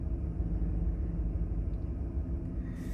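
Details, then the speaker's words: 2011 Chevy Silverado 5.3L V8 with DOD/AFM and a P0307 cylinder 7 misfire code: idle is shaky and lurches unevenly, and the check engine and traction lights come back on. "See if it dances around here a little bit, but it's pretty uh it's pretty shaky. As you can see there."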